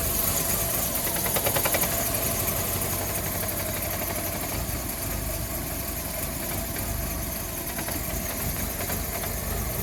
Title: VW Fox 1.4 rough idle